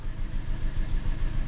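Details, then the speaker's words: Hyundai with number one fuel injector disabled to keep fuel out of an in-cylinder pressure transducer (just below 50 PSI running): uneven lumpy idle with regular low stumble, wind in background; misfire from disabled injector. "I disabled that number one fuel injector I don't want to get no fuel into the tool so we're gonna go ahead and hit play here and we're gonna Crank It Up"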